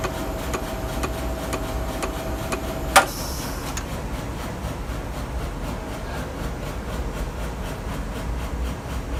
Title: Z-Stage ticking sound